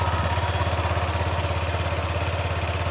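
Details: Honda Click 125 V3 scooter just after replacing a very dirty fuel filter: settles into a steady, even idle of about two hundred pulses a minute with no stumbling or stalling and no leak; fuel delivery fine.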